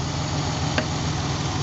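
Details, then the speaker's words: 300k-mile Ford Bronco II after OTC injector cleaning of plugged injectors; it had idled on 5 cylinders, rough, with a puffing exhaust. The exhaust now runs a smooth, even idle with no stumbles: a normal idle. "let's go back and listen to the exhaust totally smooth that made a big difference"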